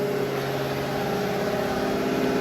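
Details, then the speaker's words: Used Hydrovane VSD rotary vane air compressor running slowly at pressure, near unload: steady, even motor hum with a clear mid tone and no knocks. It may not be fully unloading; a new pressure transducer is planned. "it's up to pressure so it won't build any more air oh it may build a little bit it doesn't sound like it's unloaded"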